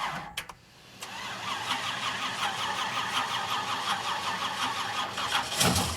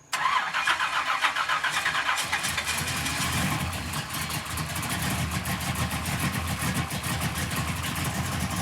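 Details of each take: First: 1967 Pontiac Firebird barn-find V8 with a new Holley Dominator carb, plugs and wires, first start: rough, uneven idle with faint light ticking and squeaking. Zero oil pressure; owner fears the bearings are already damaged. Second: 1967 Pontiac Firebird barn-find V8 restarted after correcting the botched distributor install that had left it with no oil pressure: fires right up to a steady, even lope with oil pressure and no squeak or knock. Normal start and idle.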